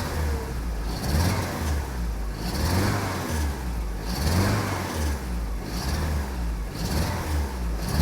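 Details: Saab 900 8-valve with Bosch K-Jetronic, after sitting unused, just reassembled: engine blips from idle stumble and sag before catching about every 1.5 seconds; stutter on tip-in, cylinder closest to the firewall showed low stored injector pressure, injector suspected.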